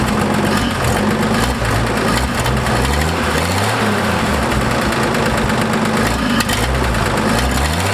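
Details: Ford F100 classic truck at steady idle with a quick light tick over the engine note, possibly a leaking exhaust joint or noisy valve; engine also hesitates when the throttle is stabbed, owner suspects an ignition issue.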